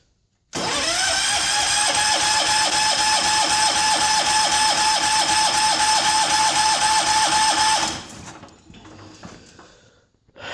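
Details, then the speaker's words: John Deere 210 garden tractor on a cold start after sitting since July with its fuel line disconnected, new battery: about seven seconds of steady cranking at four turns a second that never catches, then drops off; it is not getting fuel. "Um, she must not be getting fuel. I don't know. We'll just have to keep messing with [Applause] it."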